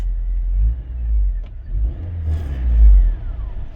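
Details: Rover 216GTi engine surges and revs unevenly a couple of times, then drops away and dies as the rumble fades; the owner suspects crossed wires or a dodgy earth, not confirmed.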